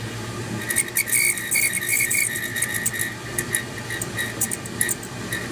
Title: Whistling furnace blower. How do I fix it?